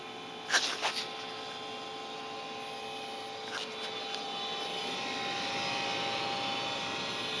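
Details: Trane XR80 furnace, about 15 years old, still working but making a fairly loud steady metallic whirring, buzzing hum with fixed whining tones; owner asks whether blower motor or capacitor is the likely cause.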